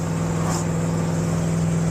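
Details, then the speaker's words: LS-swapped Hyundai Genesis Coupe cruising, heard from the cabin; steady deep drone with raspy exhaust tone from an exhaust leak at a destroyed X-pipe, before replacement. "Uh, I can't wait to get this exhaust fixed. You can hear that exhaust leak clear as day. The X pipe in here is just destroyed."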